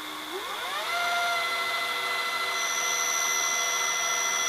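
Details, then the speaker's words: Funai FHC-1200 4-head hi-fi VCR in SLP forward search (two speeds), pinch roller in good shape: high-pitched whine climbs as the motor spins up, then a steady squeal; owner suspects the motor needs lubrication. "So that's the sound I was talking about. You listen to the motor running. It's making that high-pitched squealing or whining noise. It definitely does need to be lubricated."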